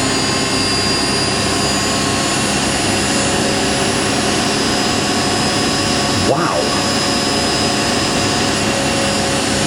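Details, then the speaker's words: Indesit IWC71452 washing machine, spin set to 1400 rpm after speed was turned down and back up, overshot to about 1700: steady high motor whine, even drum rush, speed easing down under motor braking; normal controlled spin slowdown. "Yeah, that's a really controlled acceleration. It's powering to slow down."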